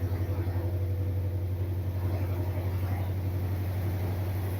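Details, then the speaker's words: Freshly started 1979 Corvette V8 with a smoking problem, no choke hooked up: a steady deep rumble with an even throb about four times a second holds too high and won't settle. Cause of the high idle is unconfirmed. "I don't like that high idle either."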